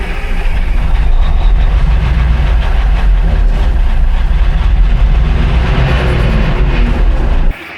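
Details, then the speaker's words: 1960s military crane diesel, 81 original hours, long sitting, cranked while fed starting fluid: loud steady cranking churn for several seconds without catching, then cuts off; not picking up fuel. "Gino's still giving her the sauce. Not picking up fuel yet."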